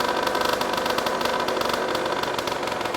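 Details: Aprilia SX50 two-stroke with a dead battery (0.06 V, about seven volts while charging), suspected cause of dash electrical gremlins: quick even idle with no misses or knocks; the engine runs healthily.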